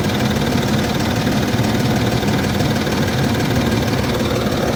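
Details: Land Rover Discovery 3 2.7 TDV6 diesel, hot engine at idle: low, uneven knocking thud running through the diesel clatter; a real knock, cause not yet found.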